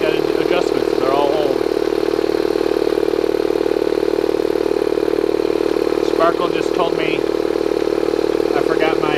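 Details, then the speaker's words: Bostitch/Stanley air compressor after fixing a leak near the regulator with pipe tape and dope and tightening the regulator top: steady, even motor-and-pump drone with no hiss or stutter; running normally. "okay so we got it off let's plug it back in and fire it up thing runs great"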